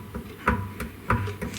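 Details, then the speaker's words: 1937 Briggs and Stratton Model A engine, long unused, not started: three dull clunks about half a second apart as the flywheel is rocked by hand; play in the crank suspected, not confirmed. "there is play in the um there's definitely play in the in the crank so um don't know how bad that's gonna i mean that's that's definitely not something i wanna i'm not gonna go start it up"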